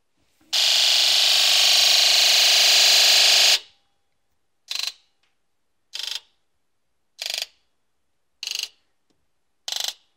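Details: Injector buzz test after injector #1 was fixed: a long three-second buzz, then five crisp, evenly spaced short buzzes about every 1.2 seconds; injectors cycle cleanly and the test passes.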